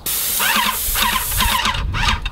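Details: Airless paint sprayer with a 515 tip at about 2,800 PSI: a strong, even hiss holding steady with no spitting or pulsing. Normal airless spray tip hiss.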